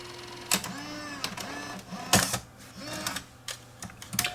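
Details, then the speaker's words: Sony BEV-8 8mm tape rewinder on batteries, after repairing a fault where it ran straight into fast forward: whirring rewind with rising and falling spin-down tones, then clicks and a clack as it auto-stops and ejects; working normally. "When it gets to the end, it'll stop and eject the tape."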